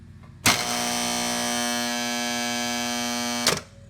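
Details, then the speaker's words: Cutler Hammer CN35NN3 contactor, reported very noisy, with a loud harsh buzz and chatter starting on energizing and holding about three seconds until release. Cause unknown before teardown. "you can hear this contactor you hear the noise it's making how noisy it is a lot of lots of chatter to it"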